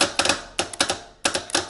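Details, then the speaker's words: Teletype ASR 33 paper tape reader, relay contact closed manually with a blade (about 70 V DC): sharp mechanical clacks in small bursts, one per closure, as tape advances normally; healthy. "you can see over there how I am advancing the tape so this is what advances the tip in normal usage"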